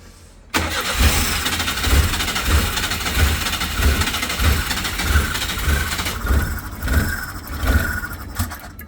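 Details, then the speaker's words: Daewoo Labo/Damas truck, apparently long left unrepaired, hard to start: catches, runs with uneven lumpy pulses about every half second and stalls within eight seconds; code manifold absolute pressure circuit low, cause undiagnosed. "그냥 꺼지고요. 이런 식으로 이제 증상이 발생을 하고,"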